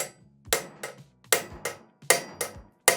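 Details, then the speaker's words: Tapping the steering head bearing race into a 1966 Triumph 650 frame for a springer fork install; paired hammer taps with a crisp high metallic "ding ding" ring that dies quickly, meaning the race is fully seated. "Hear that ding ding? That means it's all the way seated."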